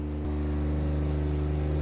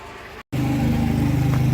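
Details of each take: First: 12V RV diaphragm water pump running with the faucet tap open: a steady, loud, low droning buzz at an even pitch. Normal but noisy operation, and it shuts off as it should. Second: Water pump on a homestead's new 3/4-inch PEX water line runs with a steady low hum and fast rough, strained pulsing, cycling on more than expected; owner notes a small leak at a fitting, cause unclear.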